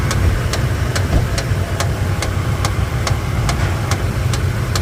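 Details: 2013 Toyota Tundra at idle: sharp, even tick about twice a second over steady idle, a knock from low in the engine.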